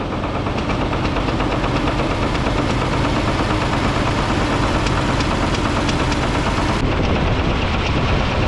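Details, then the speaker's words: Dodge M37 military truck engine, revived after sitting about 14–15 years, at idle with a loud, irregular knocking of roughly three knocks a second; owner suspects a rod knock, unconfirmed. "this thing runs really good other than that knock I'm leaning towards a rod knock"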